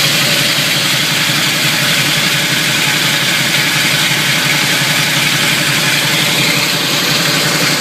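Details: Camaro idling low: steady, loud, harsh gritty grinding, worsening when pulling away and shifting between drive, neutral and reverse; flywheel teeth slightly chipped where the starter meets them, all bolts tight; owner suspects the flywheel, starter or torque converter.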